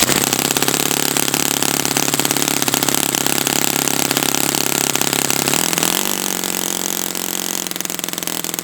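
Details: Brand-new Saito FA-100T twin on a test stand, later break-in run on a changed prop after choking: high buzzy note holds steady with a small pitch step midway, then even and clean; running perfectly.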